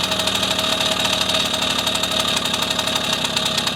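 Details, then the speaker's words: 1974 Honda MR50 two-stroke warm after heat cycles, idle mixture screw turned in from 1.5 turns out: high, buzzy idle note sags, shifting from a ting-ting to a lugging brrr; idle speed drop. "We're going to go in until we start to hear the motor RPMs drop, and that ting, ting, ting turns into more of a brrr. Okay? Hear that? RPMs dropping, lugging."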